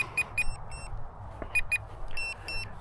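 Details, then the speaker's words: Volantex 500mm P-51D RC plane on its maiden flight: bursts of two or three high, sharp beeps repeating over a faint motor hum. The low-battery alarm is going off as the plane is brought down. "Fun thing is, if you start to get a little out of control, you can put it into, I think that's my battery's low alarm. So let's bring her in here."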